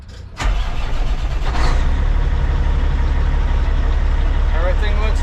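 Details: Semi truck with a Caterpillar engine after no-start troubleshooting: brief crank, then the engine catches cleanly and settles into a steady, even low diesel rumble; starts and idles normally.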